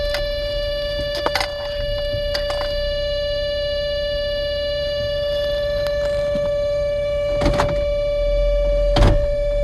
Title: Toyota Sienna whining noise